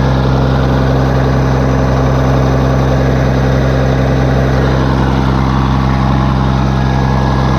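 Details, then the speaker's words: Case 1450B dozer with a freshly rebuilt diesel engine, blow-by checked after a throttle blip: steady, even idle with a low, regular beat and no knocks or misses. Oil pressure is about 27 psi at idle, and the engine is healthy. "well there it is guys we're good to go"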